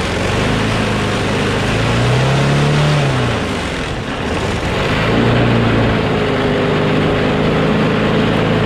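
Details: Craftsman push mower with a Briggs & Stratton Quantum engine, about 23°F, after easing spring tension: steady, even drone with only a brief dip, no hunting or surging; slight vibration, owner suspects the blade is a little out of whack.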